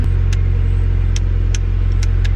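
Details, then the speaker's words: Honda project car just started, outdoors in wind: steady, even, quiet hum with no misses, knocks or ticks, no smoke; normal idle. "started right up that time but look how smooth this motor runs if you can hear over the stupid wind it's so quiet i'm so smooth [Music] and it doesn't smoke so that's good"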